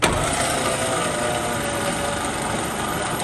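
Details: 1954 Fargo half-ton flathead six, just rebuilt with new piston rings and with the spark plugs out, cranked on a low battery to push fresh oil through: a steady, lazy churning whirr with no firing and no speed build-up.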